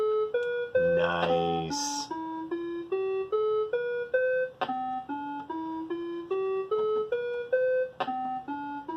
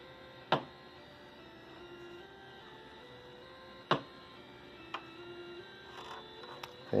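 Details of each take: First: Commodore SX-64, faulty quiet SID replaced with a SwinSID Nano, running the owner's-guide musical scale program into a 1702 monitor: clean, even tones step through the scale with no buzz or dropouts, normal sound output after repair. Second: Commodore SX-64 playing a musical scale from the owner's guide through a known-good 1702 monitor, volume at maximum: only a faint stepped scale barely above the hum with occasional loud pops; faulty SID sound chip.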